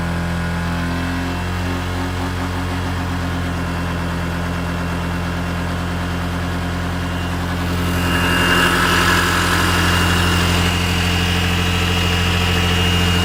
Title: Honda PCX buzzing sound on center stand